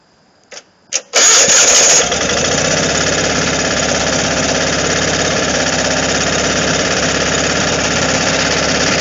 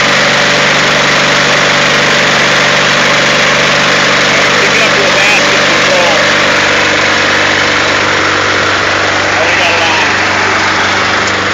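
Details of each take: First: Onan Performer 24 engine in a man-lift, run choked at start, muffler temporarily patched: cranks a few times, catches and runs loud and raspy with a harsh exhaust edge; still takes the load but needs a new muffler. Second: Onan Performer 24 engine in a man-lift with patched muffler needing replacement: steady, even drone with loud raspy exhaust holding speed as load comes on; running normally under load.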